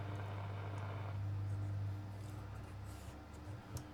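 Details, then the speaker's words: Astor BPJ valve radio, early model, sold as not working, first power-up after capacitor replacement and volume control cleaning: a loud steady low hum with a faint higher buzz and no audio; the owner suspects unseated valves, the volume control or soldering. "and that's not good it's making a very loud humming noise wonder if the valves of come un seated"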